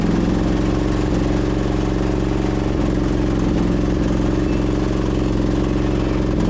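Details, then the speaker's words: Husqvarna YTH2242 lawn tractor, Briggs V-twin, started on full choke: uneven, lumpy idle with a limping beat from one cylinder; dead cylinder confirmed, caused by a bent push rod. "I think we pretty much confirmed it. I got a dead hole right here."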